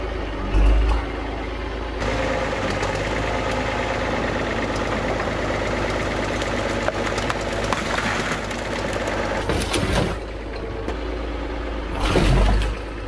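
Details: Abandoned TD9 bulldozer diesel after long overdue service and repairs, test run checking for leaks: steady, even rumble at constant speed with no knocks or misses; engine running healthy.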